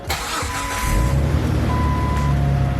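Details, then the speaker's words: 2003 Jeep Wrangler TJ first start after a second transmission replacement, previously with a loud knock-like tapping: cranks briefly, catches cleanly and runs evenly with no tapping, quiet with clutch pressed. "Ooh, that sounds so much better. No noises when I'm pushing the clutch in, that's good."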